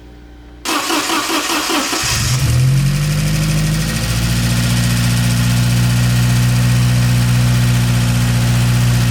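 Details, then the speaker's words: Porsche 924 Turbo, long-sitting, with new spark plug wires and fresh fuel after the tank was drained, cold start after sitting overnight: cranks about two seconds and catches; idle is much better but has a slight dead spot, and residual old fuel is suspected, not confirmed. "As you can tell, it's idling much better. Much better. Still a little dead spot in it."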